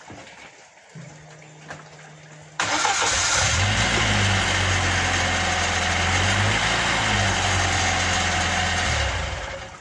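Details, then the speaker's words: Car rear wheel with drum brake, previously whistling; drum could not be removed but parts were greased: after the fix the engine runs steadily with no whistle from the rear wheel. "Так нам не удалось снять задний барабан, но мы вот это все промазали. И теперь у нас ничего не свистит."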